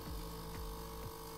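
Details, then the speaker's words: Philips/Saeco EP espresso machine giving no coffee: the water pump hums steadily, pulsing about twice a second and straining with no flow, having grown quieter over time. "now it just tries to keep pumping but nothing comes through nothing comes into the collecting sound"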